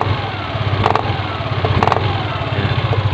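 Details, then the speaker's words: Yamaha Aerox scooter on its center stand, throttle blipped slowly: steady idle with sharp clacking ("pletok") about once a second from the CVT area when accelerating off idle; worn CVT bushing clicking. "ini kasusnya dia di area blok sipitnya jadi pada saat di gas pletok betok"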